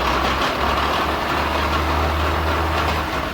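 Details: 2015 Chevrolet Onix/Prisma driving in fourth gear: harsh continuous grinding rasp over drivetrain hum, silent at idle and in first, present in second through fifth; worn gearbox internals from oil starvation.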